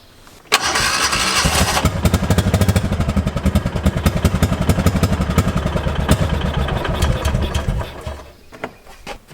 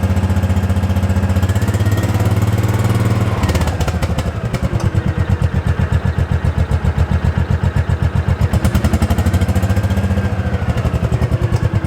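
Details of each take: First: 2005 Kawasaki Mule 600: fires then sputters and misfires unevenly with skipped beats before dying and won't restart. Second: 2005 Kawasaki Mule 600 after fitting a new spark plug (old one bad): steady low thumping about four beats a second, even with no misses or rattles; runs like new after the misfire and no-start fix.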